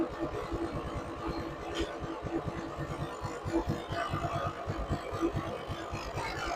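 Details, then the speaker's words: 1995 Polaris Magnum 425 2x4 ATV, just started on a jump pack with throttle held: single-cylinder idle thumping with uneven scraping rattle; significant noise suspected from the transmission. "Well, it runs okay. It sounds like we have some significant noise coming from our um our transmission down here. So, that may be the uh the next thing we have to dig into here."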